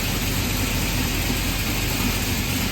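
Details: 376ci LS V8 on an engine dyno, 9.5 compression, no leaks and consistent oil pressure: steady, even low rumble with no knocks, misses or rattles; idling smoothly and healthily.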